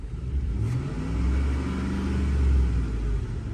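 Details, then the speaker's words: Ford F-150 5.4L V8 misfiring on cylinder 8 (bank 2) during a scan-tool balance test: engine revs unevenly, lumpy and won't stabilize, with power loss, shaking and a raw fuel smell. "como pueden ver toda el montón de fallas que tiene miren Cómo se hace de feo Cómo se no se estabiliza"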